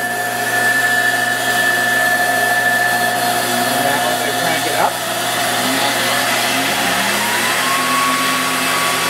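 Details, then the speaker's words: 1953 Shopsmith Mark V motor cranked to its highest normal speed: steady, high-pitched whir holds even without knocks or rattles; healthy motor at top speed. "Up that's the highest it goes don't pushing this here you can then turn it faster which is only for the rouer and CER"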